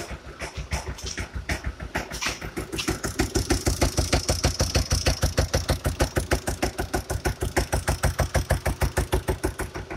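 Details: Kia Sportage/Sorento 2.0 CRDi common-rail diesel, smoking heavily: hard, steady knock about three heavy blows a second before shutdown; the cylinder head is to be removed.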